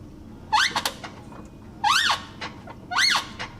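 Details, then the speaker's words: Nissan 370Z clutch slave cylinder squeaks sharply and rubberily, rising and falling with each clutch stroke, after bleeding the clutch line and fixing a leaking clutch line connection; squeak has worsened since install, owner unsure if normal. "right now I am currently sending off an email to z1 because the house cylinder is really squeaky"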